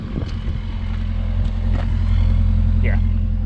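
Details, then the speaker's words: 1987 Acadian (Chevette) with a newer muffler, after a temporary repair of the exhaust leak just before the cat and tightening of a leaking flange: a steady low burble rising smoothly on a throttle tap, with no rasp, puff or rattle. Normal exhaust note. "that's how it should be perfect not too extra noisy"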